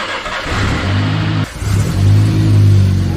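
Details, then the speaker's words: Newly installed replacement engine in a wrecked Mini John Cooper Works, first start after fitting spark plugs, map not yet loaded; catches and revs smoothly into an even, strong hum with no knocks, sounding healthy. "oh right that sounds beautiful yes yes yes let's go oh my that's so beautiful"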